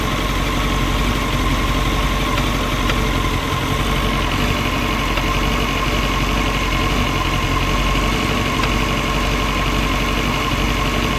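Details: CBR939 motorcycle at idle: sharp metallic tapping mixed into the mechanical chatter, steady rhythm; metallic knock of unknown origin.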